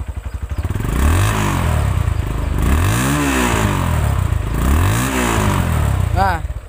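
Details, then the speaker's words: Used Yamaha motorcycle (likely Verza 150) checked before buying, never-opened engine: three smooth rev blips from steady idle, no rattle or tapping, smooth single-cylinder sound; normal engine revving. "Nah contoh ini adalah motor Yamaha masih bagus ya suaranya masih halus tidak ada bunyi gemericik di mesin"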